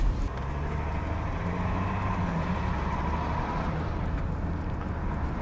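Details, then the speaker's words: Mercedes W222 S-Class test drive after a constant-velocity joint repair for knocking while steering: only a smooth, low road rumble and engine drone, with no clicking or ticking; the CV joints are normal while driving. "First of all, the constant velocity joint sound is no longer operational. I can't hear any more. I think the constant velocity joint repair shop did a good job."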